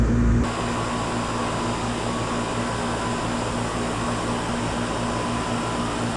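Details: 1995 Tempstar 5000 air conditioner condenser, 30 years old, at its first startup of 2025 after sitting since about October: steady even hum, low electrical drone and smooth fan rush with no knocks or rattles, starting and running normally.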